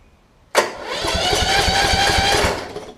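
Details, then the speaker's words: Toro Z5000 zero-turn, Kohler Courage single-cylinder, cranking after intake valve clearance reset to about 0.005 in with feeler gauge; steady even compression pulses, no longer pushing out the intake; normal cranking. "sounds a lot better it's not pushing stuff out the intake anymore"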